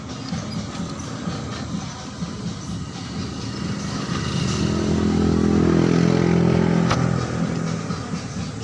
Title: Barako 175 hard starting at pabago bago ang mernor.